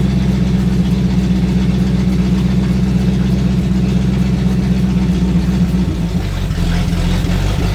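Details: Sixties Ford Galaxie with a small-block V8 (289, possibly a 302), carbureted, after revival: steady idle with a smooth low beat, slightly fast and not settling; high idle, suspected timing too advanced, carburetor to be checked.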